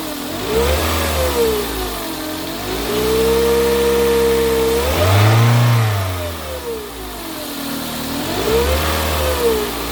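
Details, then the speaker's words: 2008 Toyota Corolla 1.8 XEi automatic, noise began on restart after a trip stop: clear whine rising with engine speed over the engine note, persisting when revved in neutral with oil levels fine; failing alternator. "Depois dessa parada, na hora que eu funcionei o carro, ele começou a dar um barulho, como se tivesse alguma polia, alguma coisa soprando forte ou um barulho de polia."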